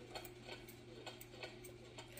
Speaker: hear how it's kind of off it's not even between the tick tocks